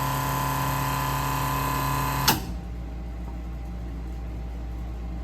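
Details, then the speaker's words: 1968 Plymouth Barracuda drag car electric fuel pump after adding a return line with a Moroso fuel log and moving the regulator off the fender apron, pressure just under 6.5. It gives a smooth, steady hum for about two seconds, then cuts off cleanly, quieter with less buzzing than before. "Can you hear the difference in the sound of the pump? Let me get back there so you can listen to it. That's so much nicer, quieter."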